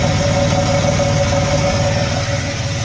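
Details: 1992 Oldsmobile Toronado Trofeo at idle after new exhaust work: even, steady idle with a soft low rumble and a faint constant hum from the leveling-system compressor; exhaust now quiet and sealed, normal.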